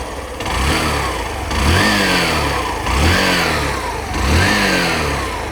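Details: Hero Passion Pro BS6 commuter motorcycle idling in neutral after i3S clutch start, before auto shut-off: steady single-cylinder putter with gentle swells every second or so, clean and even; normal idle.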